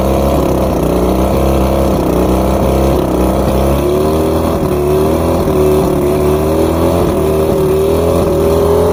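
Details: Outboard after plugs checked, fuel pump and carbs rebuilt, trigger loosened, spark confirmed on all cylinders: uneven burbling idle with a thin high chirp rising steadily in pitch; rough running, cause still unknown.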